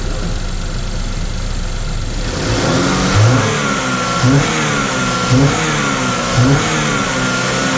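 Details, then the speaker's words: 2012 Chevy Equinox after jumped-timing repair, carbon-cleaned valves, bad catalytic converter: revs in short blips about once a second, running unevenly between; misfire with fuel trims pulling about 20% fuel, cleaner in the oil/EVAP suspected. "we are running this here we're having some issues with the fuel Trims and there's a lot of carbon choke cleaners a lot"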